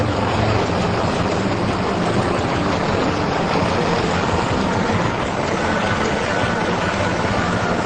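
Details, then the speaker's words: 2006 Big Dog motorcycle, 117 cubic inch 1900cc V-twin, first fire-up in the factory run-in room, fresh engine being brought to heat: loud dense steady roar with no knocks or misses; sounds good, needs more heat cycles to run fully smooth. "Isn't that a sweet sound, Kenny? Sounds like everything's good. Everything checking out? Yeah, it sounds pretty good so far."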